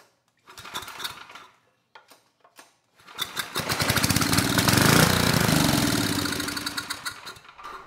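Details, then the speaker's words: Tecumseh HMSK105-159913B generator engine with low compression, on starting fluid through long intake tube, choke open: several sputtering attempts, then catches, runs up roughly and fades; hard start, owner suspects intake tube length. "nice all right well things are looking good so far we have power the engine started although it was hard to get it to start this time"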